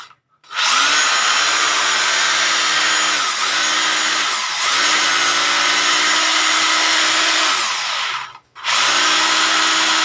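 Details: Rotary hammer drill after repair of broken bearings. Steady high whine that holds even through each run and spools down cleanly when released; runs healthy.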